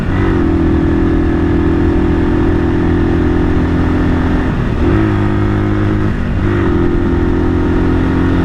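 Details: 1978 Kawasaki KL250 single-cylinder on a break-in ride right after a top-end rebuild with new rings; timing, points and valves left unadjusted; steady drone dipping and climbing cleanly with throttle, no knocks or misses. Running well.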